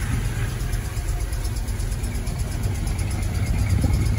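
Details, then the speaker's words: 1978 Plymouth Volare Super Coupe, unrun for about 3-5 years after roughly a decade of sitting, first start after pouring fuel down the carburetor; steady, deep low rumble, even with no misses or knocks; normal idle. "runs beautiful this car is like new perfect"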